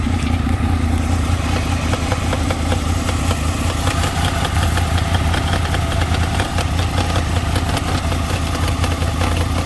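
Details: 2003 Honda VFR800 at idle, started right after fuel treatment was added, with new spark plugs; it had been cutting power while riding. Busy idle with a fast, uneven metallic rattle or knock over the engine beat; cause unknown.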